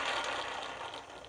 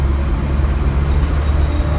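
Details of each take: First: 1990 Honda Civic EF hatch rear wheel bearing spun: gritty crackling rasp fading as the hub spins down; bearing hummed while driving, found during a rear disc conversion. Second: 1990 Honda Civic EF hatch driven after rear drum-to-disc conversion: steady low road rumble, the previous wheel hub hum is gone; rear wheel hub sounds healthy.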